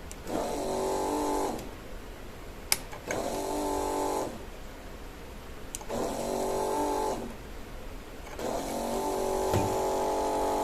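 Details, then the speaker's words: Small cordless-drill motor connected to modified Kaiser 310 Pro welder's wire-feed controller at 20% setting: motor hums up within a second of each switch-on and stops cleanly, four even cycles; normal start, delay under one second. "так друзі ось чуєте гуде моторчик це в нас всього лише 20% від всього що може"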